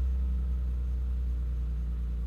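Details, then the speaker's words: BMW E30 with MS3Pro ECU just after its first start, engine still relatively cold at about 95 degrees and running fairly rich: deep, smooth, steady idle rumble with no misses, knocks or ticks; normal cold idle. "Uh, the engine is still relatively cold here. It's, uh, 95 degrees. Cold start went well."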